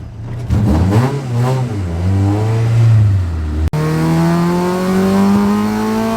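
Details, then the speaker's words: Honda with Hondata ECU on dyno, full-throttle pull after unplugging and replugging the ECU: revs climb cleanly, short break at shift, pulls again with no stutter; the earlier misfire at VTEC engagement is gone, VTC target 32. "but we're not hearing that misfire no more when vtech kicks"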